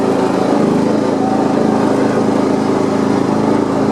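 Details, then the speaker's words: John Deere 170 lawn tractor after steering and front wheel repairs, mowing deck off, driven on the street in 5th. Single-cylinder holds a steady, even drone with no knocks or rattles; healthy, normal running. "what's wrong pretty good on the street it's kind of funny on the street it feels like it's going so slow but then when you get in the yard it feels like it's falling but but all right so it's running pretty good"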